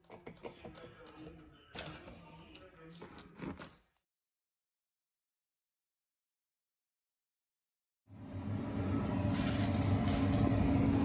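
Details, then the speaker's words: Whirlpool refrigerator evaporator blower fan in the chiller atop the freezer: loud rough, rattly drone from the worn, wobbling fan; fan replaced. "okay I place this into a wepo refrigerator because the tenants uh complaining about it making a lot of noise on the uh Chiller on the top of the freezer so the blower fan is already bad right here"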